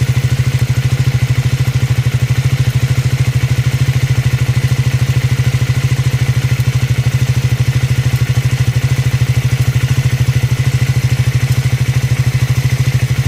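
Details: Triumph Scrambler 400X / Speed 400 single: steady fast clatter riding on the even idle thump; unusual mechanical engine noise whose cause can't be pinned down by ear.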